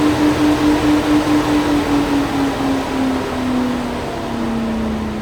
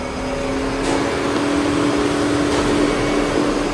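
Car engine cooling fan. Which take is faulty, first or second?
second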